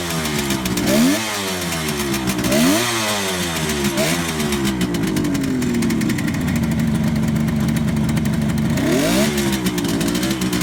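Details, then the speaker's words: 1971 Kawasaki H1 500 two-stroke triple with rebuilt engine, very cold, choke on: uneven revving with a ragged, lumpy beat at idle and on blips; center cylinder not firing, ignition suspected. "well anyway start running on the center cylinder so we're going to try to figure out why here in a second"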